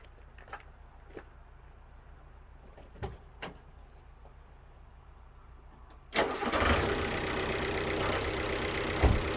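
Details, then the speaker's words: 1993 Ford Transit camper, 2.5-litre diesel, complaint of no power and black smoke: quiet for a few seconds, then catches cleanly and runs at an even, steady beat with no misfire or knock; only a little smoke initially; normal idle and rev. "let's start this and rev it up and see what happens"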